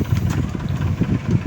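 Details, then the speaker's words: Airfinity electric fan running with a low uneven hum and repeated soft thumps, vibrating and sometimes jumping; cause is a chipped, unbalanced blade, not the base screws the owner had tightened. "Tapos maingay. [tawanan] Ayan. Minsan may time pa daw na tumatalon-talon siya. Ayan oh. Nanginginig. Tapos ayan oh. Maingay siya. Ma-vibrate."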